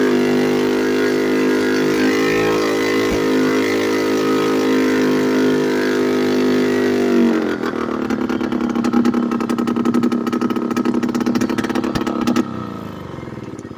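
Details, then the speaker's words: Late-1990s Polaris Explorer two-stroke ATV with exhaust and muffler removed, idling high and shifting poorly: raw blaring steady note, then harsh crackling rasp pulling away; loud unmuffled exhaust. "so that's what it sounds like and as you saw in the beginning it won't really shift very well idling"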